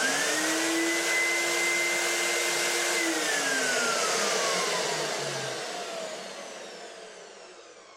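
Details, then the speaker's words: Exodus ULV fogging machine switched to manual operation; a clean, steady motor whine holds pitch, then slides down and fades as it spins down, with no rattles or grinding: normal motor running. "You can flick the switch onto manual for manual operation. I'll do that now and you'll hear the motor of the machine."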